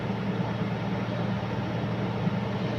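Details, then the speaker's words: Nissan Navara D40 diesel held at 1000 rpm with a heavy, throbbing low drone and strong engine vibration, no check engine light; cause unknown. "Ayan ang pagka mag RPM tayo ng 1000 yan 1000 RPM ay malakas yung ano"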